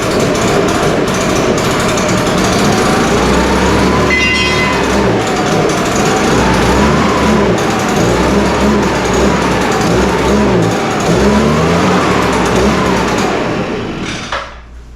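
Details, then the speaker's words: Echo PB-580T two-stroke backpack blower running in the shop, started on full choke after a new starter rope and new coil. High buzz rises and falls cleanly with the throttle, then shuts off; running fine. "It sounds okay. It sounds like it's gonna run okay, but we're gonna have to take this one outside before we can open it up and ma"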